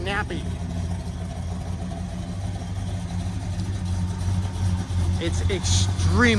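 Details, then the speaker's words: 429 Ford big block V8 with Holley Sniper EFI, Hooker Super Competition headers, MSD parts; deep rumble at a slightly lumpy idle, then a quick crisp blip climbing and falling cleanly; snappy, touchy, healthy. "touchy wow it's definitely got a little bit of a lumpiness to it too"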